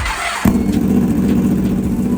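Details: 2016 Yamaha R1S rebuilt from wrecked: engine catches cleanly after a brief crank and settles straight into a steady, even idle with no knocks or misses; sounds healthy.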